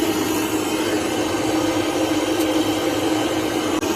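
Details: Pontiac Fiero GT heater blower motor, after removal and cleaning out a mouse nest: steady airy whoosh with an even mid-pitched hum, running smoothly and normally.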